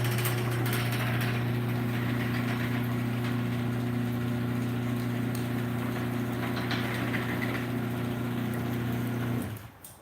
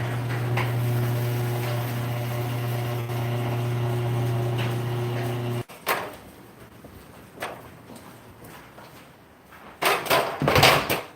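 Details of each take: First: Garage door opener running up: smooth steady low motor hum holding one pitch, then cutting off cleanly; quiet and healthy upward, only louder going down, likely from a stripped front screw hole. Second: Garage door opener closing the door: a steady low hum with a coarse buzz, then clunks. It is quiet going up and louder without the door; the owner suspects the trolley vibrating: buzzing on closing.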